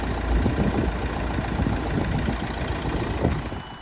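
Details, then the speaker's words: 2013 Nissan Qashqai+2 1.6 dCi diesel, crank-no-start with CAN fault U1000, now running after feeding 12 V to the circuit: steady, even diesel clatter at idle, no misses or knocks; normal idle, ECU driver suspected. "so there you go we're feeding that circuit the motor's now running"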